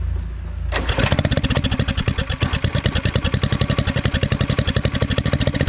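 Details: Turbo Predator small engine's first start, after fixing a pinched spark wire that had caused a no-spark condition: catches after a brief crank and settles into a quick, even thumping of about ten beats a second; runs clean.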